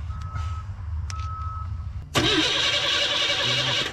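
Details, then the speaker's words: 1976 GMC truck cranks for about two seconds after a warning tone but never fires; spark confirmed at the coil and the carb was pumped first. Cause is suspected, not confirmed. "yeah yeah it was getting spark that's what's weird about it just like the other day when it finally bust off it'll just sit there"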